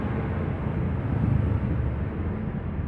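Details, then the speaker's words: Honda Beat FI scooter after engine teardown and rebuild for clattering from late oil change, suspected worn cylinder: even low putter at idle, no ticking or tapping as before; normal idle. "Ini nyalain dulu ya. Halus ya suaranya ya. Udah nggak ada suara teketek-teketek kayak sebelum dibongkar."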